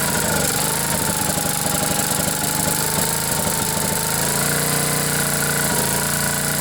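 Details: Generac generator with 10 hp Briggs & Stratton single-cylinder engine after blown head gasket replacement, choke held open: steady running with constant buzzy exhaust, no misses or knocking; runs normally.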